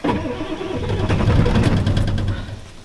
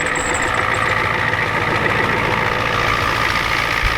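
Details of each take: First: Old Ford 7.3L Power Stroke diesel, cold start at about 50°F without throttle: low, uneven cranking chug that struggles and stumbles, slow to catch, smoke under the hood. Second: Ford F-250/F-350 7.3L diesel with a bad water pump: starts easily, then steady, even diesel clatter at idle with no misses, knocks or surging; normal idle, not smoking.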